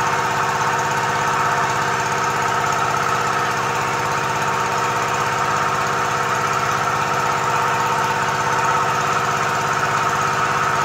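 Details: Komatsu PC-20 excavator, 3D84 diesel, with low power, black smoke and hard starting. It idles with a lumpy, uneven clatter and an unsteady beat; faulty injector nozzles.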